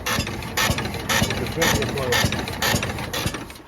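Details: Newly bought classic Rambler car, long off the road, running: rhythmic knocking clatter about twice a second with sharp metallic ticks; owner fears possible catastrophe, hopes a simple fault, cause unconfirmed.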